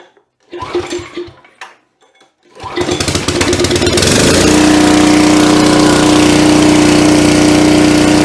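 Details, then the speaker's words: Coleman Powermate 3750 generator, about 9 years old, stored on non-ethanol gas, clean air cleaner, plug with under 8 hours, oil full, choke on: a few pulls, then it fires into a loud, steady governed drone. Warming up before a 1500 W heater load. Normal start and run. "You can tell it's got power because of the light side here. I'm going to let it warm up a bit before I plug in."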